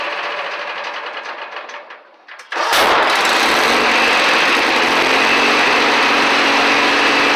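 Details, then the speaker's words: Kohler Magnum 18 engine on a Craftsman mower at half throttle, shut down and restarted; rapid, very loud gunshot-like exhaust cracks; hard backfiring that blew the muffler half off. "when you shut it down and start back up it's a pretty little epic backfire I'm gonna demonstrate for you"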